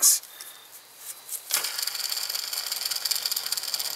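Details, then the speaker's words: Old belt tensioner, removed after the belt flipped over, with black crud around the bearing, spun by hand. It freewheels with a dry, gritty hiss and fine rattle: worn tensioner pulley bearing, replaced with a Gates tensioner. "awful free let's try it again it was definitely wore out it's time for a replacement"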